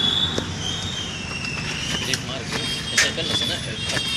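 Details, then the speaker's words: Motorcycle (BS6) front fork that a showroom twice failed to fix: a few sharp, isolated knocks as the fork compresses; the fork is low on shock absorber oil and needs topping up. "देखिए दोस्तों, ये बहुत जोर कुट्टी हो रहा है, हॉन्क्स में पड़ता है, टक की न साउंड होता है।"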